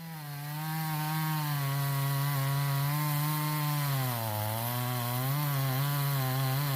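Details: Stihl 026 chainsaw, said to pop or miss at high rpm when hot or pushed hard: a steady high howl that stumbles as the bar is pulled up at the end of a cut; grounding wire or failing coil suspected; misfire under load.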